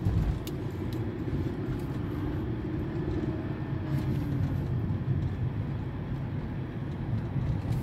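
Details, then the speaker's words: 2007 Mercedes-Benz E200 (W211) driving after replacing faulty rear suspension links and parts for a cracking noise when steering; steady road rumble and tire hum, no clunks or creaks over bumps; earlier loud crack now gone, suspension quiet. "뚜둑 하면서 크게 났었는데 지금 조용해요"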